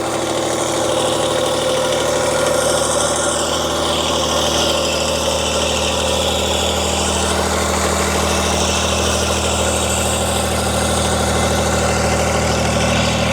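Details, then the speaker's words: Kubota D902 three-cylinder 25 hp diesel on a Wolfe Ridge 35 SHO splitter, cold-started at 2° after sitting outside overnight without block heater: runs steadily just above idle with an even low clatter, no misfires or hunting; healthy. "2° we got the machine start I did not cheat this machine had been sitting outside overnight um it was 2°"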